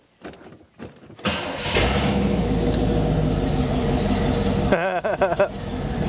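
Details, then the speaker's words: 1979 Chevrolet Camaro 305 V8, barn find after 10 years, cranks then runs with the broken factory exhaust removed entirely: loud, raw, open rumble with harsh crackle, very fumey; no exhaust fitted, Hooker mufflers to follow. "That is scandalous 305 activities right there. So loud. Just right there. There's nothing."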